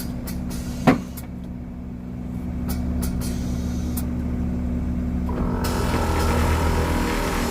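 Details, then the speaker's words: Air Lift 3P air suspension compressor on a BMW E36, system leaks slowed but not fully gone: steady electric motor drone switches on partway, holds even pitch without rattles or grinding; compressor works properly. "you guys can hear it turn on and everything, so yeah, good, works now."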